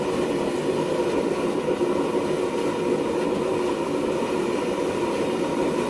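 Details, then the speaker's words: Homemade gas forge burners fired at 5 psi: constant roaring hiss with a ragged, fluttering edge; back burner sputtering, cause unclear, owner suspects it needs more air ducts. "This thing put out some nice heat. Nice flames. The back burner was sputtering. Not positive in why."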